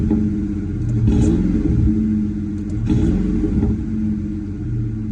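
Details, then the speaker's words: 1996-1998 Mustang GT V8 after installing Dragon Fire coil packs and spark plug wires and clearing a P0304 cylinder 4 misfire code: quick clean rev blips rising and falling smoothly, no stumble or popping; crisp healthy throttle response. "Check engine light gone. Check engine light gone. As you can hear, the throttle response."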